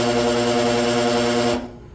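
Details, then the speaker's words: New 230/460 V dual-voltage HVAC motor on a 208/230 V supply hums hard with strong buzzing and runs in the wrong direction; it should draw 9 A on 230 V but draws about 21 A, so it is suspected to be miswired. "Something didn't sound right. Plus, she was going the wrong direction."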